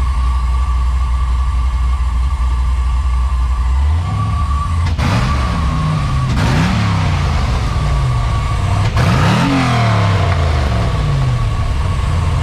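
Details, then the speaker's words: LS V8-swapped Volkswagen Beetle with newly installed turbo mufflers, just after first start, not yet warm: deep steady idle burble and clean smooth revs without misses; idle expected to drop and respond better once warmed; normal. "when it warms up and the idle drops a little bit more too it'll be more responsive"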